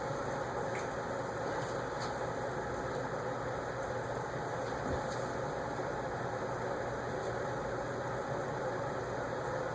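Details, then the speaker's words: CEC 36" industrial ceiling fan on high after oiling its stiff bearings, drawing about 0.69 A: steady run with a faint hum and scattered light ticks as leftover rust in the bearings breaks loose; airflow at a distance seems weak. "You can hear the bearings still have a little bit of, like, rust in there breaking loose."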